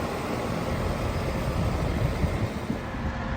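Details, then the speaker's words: Outdoor AC condenser fan after replacing a bad run capacitor (fan previously not spinning, noisy): steady even low whoosh, running quiet and smooth with no rattles or grinding. "the fun is working now it's very quiet um before though it's very noisy now you can hear now is very quiet the fan is very quiet it's running good smooth"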